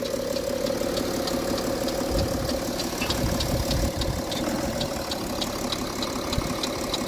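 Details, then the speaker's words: BMW 335d diesel at idle before maintenance: a super loud, sharp ticking at a few clicks a second over the diesel clatter; the source is not identified. "yeah so have the S right there damn it is super it is super loud"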